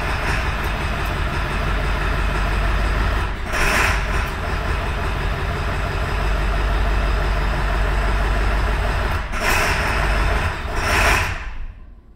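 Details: 2002 Ford F250 7.3 diesel after IDM swap: lumpy, loping idle with shake, right-bank injectors not firing (code P1316); cause was a rubbed-through 115V right-bank injector feed wire by C110 on the left valve cover.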